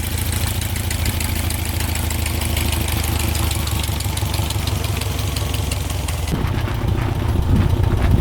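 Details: 1967 Volkswagen dune buggy bought as a non-runner, restarted after its first ride. A busy, chattery air-cooled idle with a steady low beat, holding even with no misses or stumbles. It sounds smooth and healthy.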